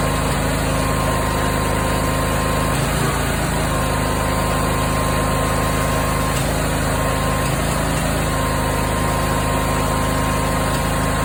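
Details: Briggs 20HP V-twin idling with occasional irregular exhaust pops, three times louder in winter and stopped only briefly by Sea Foam. The cause was incorrect valve clearance, fixed by adjusting valve lash.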